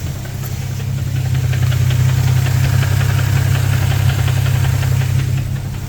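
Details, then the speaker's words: Infiniti G35 VQ V6 newly swapped replacement engine, heard after a few heat cycles: steady idle rumble with a light, fairly regular knock; owner suspects rod knock but it doesn't occur on every start, unconfirmed. "to me it sounds like rod knock but every other time that I start it it's not making the noise so I really don't know what to think about it"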